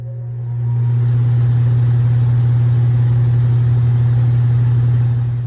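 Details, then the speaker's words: Attic fan after its motor was replaced to cure a loud noise: a steady, low electric hum, clean and smooth with no rattle or scrape. Normal running. "这回声音听着就不错，就是挺干净的，没有什么杂音。"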